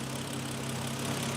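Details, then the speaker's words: BMW E90 325i N52 straight-six idling after valve cover gasket and cooling system work, with spilled oil burning off the cats: steady, even idle with a smooth low hum, no misfires, miss or tick. "But she's running good. She's running good. She sounds good. Good old N52."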